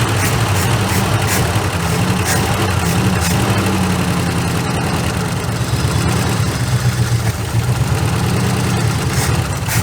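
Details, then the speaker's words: 1976 Ford F150 abandoned 30+ years, fed from a temporary gas tank after the carb float was checked: loud, rough idle with an uneven, stumbling beat in the low chug; engine is missing at idle. "just under there Island that's just awesome to me it is missing but I mean I"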